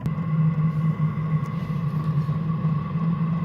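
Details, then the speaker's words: Chinese diesel heater on its first start, not yet installed, cover still on top: low steady fan drone with a faint higher tone gathering speed like a plane on the runway toward full speed; normal startup ramp-up. "So rather like a plane on the runway. It's now building up to full speed."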